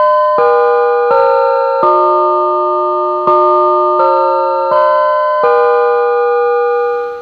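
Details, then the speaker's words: Music & Sound Model 228 master station (1978, about 45 years old), intercom door chime after rebuilding the power supply and audio board, cleaning the switches and working on the chime module: clear bell-like notes with a designed-in vibrato warble, chime working normally. "And I believe that is what it's supposed to sound like. Music and sound chime modules, even the very last ones that they made just a year ago, have this sort of vibrato resonance kind of thing designed into them to make it sound more musical, I guess."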